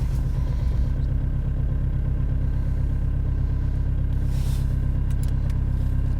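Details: BMW E46 320d Touring diesel, cold start at 0°C: steady low clatter at an even cold idle, no misses; normal, healthy cold start and idle.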